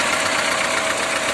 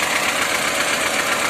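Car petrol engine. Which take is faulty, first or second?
second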